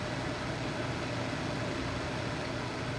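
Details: Replacement True Induction cooktop at full power, water reaching a rolling boil in about 5 minutes: constant cooling-fan rush with a faint steady hum, no buzzing or rattle; running normally.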